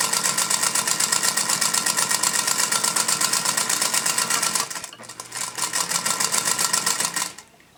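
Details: Singer Featherweight stitching after cleaning and oiling, which cured the earlier squeaks: a hard sharp clunk on every stitch, about four a second, from the bobbin area.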